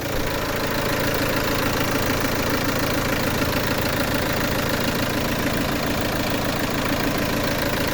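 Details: Peugeot 307 2.0 HDI with fault codes P1112 and P0204, after replacing the TDC sensor and diesel filter; no leaks. Steady, even diesel clatter at idle with no misfire or stumble. A normal idle.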